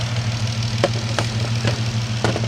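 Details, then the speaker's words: 2013 or 2014 Dodge Charger (Hemi or Pentastar) with the check engine light on: sharp, uneven ticks about two a second over a rough idle. A valve train tick with misfire traced to broken roller rockers and a worn cam lobe. "Like I say, the engine is ticking, and it has a misfire. And guys, yes, valve train issues could cause both a misfire and a ticking."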